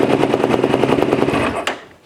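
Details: 2009 Yamaha YFZ450R ATV during no-start diagnosis, starter button pressed with ignition on: fast, even cranking chatter of about a dozen beats a second for under two seconds, then dies away; healthy starter engagement.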